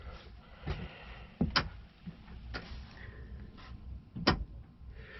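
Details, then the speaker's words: 2005 Ford Explorer liftgate latch: pressing the open button gives sharp, dry clicks about once a second, but the hatch never releases; the exterior handle also appears broken. "this handle appears broke so i'm going to be replacing that but the the mechanism inside here that you can hear clicking hold on a second"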